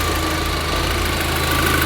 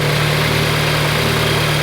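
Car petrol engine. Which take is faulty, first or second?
first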